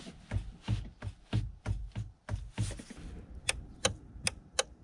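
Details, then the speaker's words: 2001 Volvo V70XC: sharp horn relay clicks with each horn button press but no horn sound; a clicking relay may still work or may be defective. "can hear the relay clicking when I push the horn"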